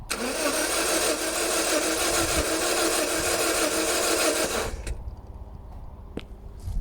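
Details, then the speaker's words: Donor Toyota Celica 2ZZ engine cranking with a compression gauge fitted: the starter spins unusually quickly and evenly. The gauge reads about 15 psi, showing very low compression. Fast, easy cranking. "so it seems to be turning over very quickly doesn't quite sound right"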